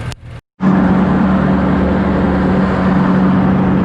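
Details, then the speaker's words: Cub Cadet Low Boy 154 tractor engine after fixing a skip (spark plug heated): smooth, steady drone with no skip or stumble, running evenly in the back field; normal running. "Hello everybody, as you can hear, it's running pretty good."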